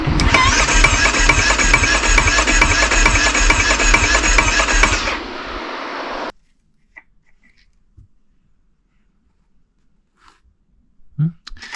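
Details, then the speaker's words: Neglected Yamaha Grizzly 660 ATV: steady starter cranking at about two beats a second for five seconds with a clunking noise, then silence. The choke doesn't work; it cranks but does not start. "Let's see if it turns over. Yep. I can hear it clunking. Something's making noise that doesn't sound good."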